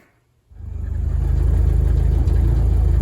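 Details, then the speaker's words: VW-engined Deserter GT dune buggy at low, uneven idle, rattle at the rear pulsing about four times a second; reused clutch's throwout bearing, apparently loose in its mount and bouncing; engine to be pulled to replace bearing, pressure plate and disc. "Okay, guys. So, I'm hoping you can hear the rattle that is happening in the back here. Um, this is the throw out bearing making noise. Just kind of It must be kind of loose in the mount and it's just kind of bouncing around a little bit or something happening."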